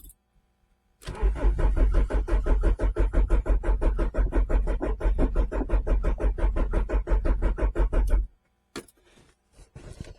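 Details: Renault Clio 1.8 16V, stopped running after sitting for months, after refitting fuel filter: starter cranks in steady even pulses about seven seconds with no firing; seemingly no fuel reaching engine, fuel pump suspected.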